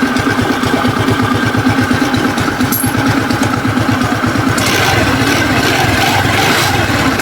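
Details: Rusi Breeze 150 scooter after replacing a worn, seized rocker arm bearing, plus a new cam chain and a tune-up: even, steady single-cylinder putter at idle with no tapping or top-end rattle, so the noise is fixed.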